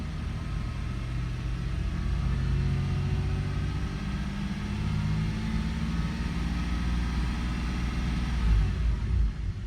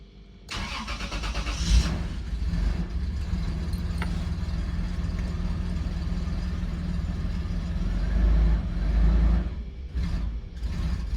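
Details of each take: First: 2002 Toyota 4Runner with start-stall and multiple cylinder misfire complaint, after about five minutes running in open loop/default mode: engine picks up smoothly on light throttle, accelerating fine with no stumble or misfire. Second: 2002 Toyota 4Runner with start-stall complaint: engine cranks, catches, then runs rough with uneven lumpy idle from multiple cylinder misfires.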